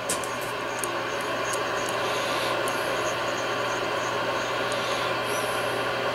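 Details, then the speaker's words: Yaesu FTDX 560 with VFO plug jumpered, set to 25 kHz: steady even hiss with faint low hum, no stations; static only, cause not yet found. "Alright, we have static. We'll put it on 25 kilohertz. And we have nothing."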